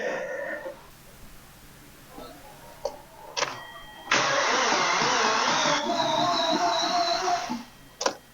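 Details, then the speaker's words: 2014 Hyundai Sonata that seizes when warm and revved, cranked with the spark plugs and serpentine belt removed: the starter grinds slowly and strains with no firing. A tight, nearly seized engine; the recalled seizing issue is suspected. "even with just the spark plugs out it was taking almost 300 amps to uh get this done just to turn the engine which is pretty incredible"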